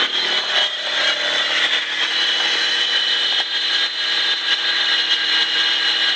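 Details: Stealth RT TT running: steady high thin whine from the accessory belt area, new for about a week; owner suspects a tensioner, possibly the lower alternator/AC one, unconfirmed.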